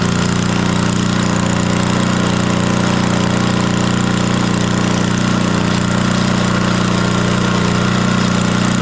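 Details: 1964 Wards Power Kraft 110 V 1250 W generator with a roughly 3 hp Briggs & Stratton engine, started after long storage with the choke off and good spark: loud, steady drone with an even beat, holding speed; running after long storage.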